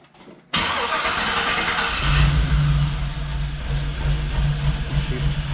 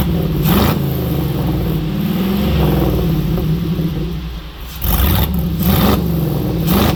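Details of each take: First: Jeep with new true dual exhaust, idling; uneven lumpy idle with stumbling beat, feels like a whole dead cylinder, some backfiring; misfire. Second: Jeep V8 with multi-port fuel injection, new exhaust, after fixing a miss by correcting the tune's injection type: deep even burble rising cleanly on blips, all eight cylinders firing, no misses.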